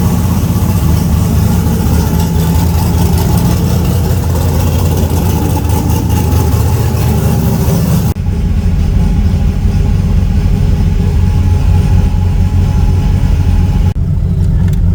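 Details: Car "Fancy" after a 6.2 LS swap replacing a 406 SBC with an out-of-balance Scat crank: deep, even V8 idle with a steady low rumble and no misses or stumbles.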